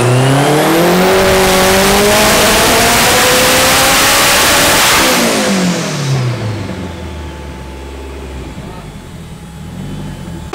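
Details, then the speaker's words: Built K24-swapped AWD turbo Civic (forged bottom end, block guard, Garrett turbo, ECU Masters standalone) on hub dyno: engine pulls hard and climbs, then stumbles near the top, misfiring around 26–30 psi boost; fuel already richened, cause suspected, not confirmed. "righty so he ain't enough to boost more and they started miss him again so he's kind of hitting a wall I think it's in the higher 20 26 28 pounds of boost maybe closer to 30"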